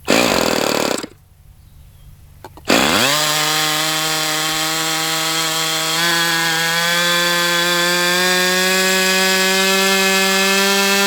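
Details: Brat .28 model glow engine, restarted after needle leaned out: screams at high steady pitch with thin whirring edge; abnormal whirring, with bubbles under glow plug head, dark oil from exhaust, muffler possibly loose; cause unknown, hydrolock questioned.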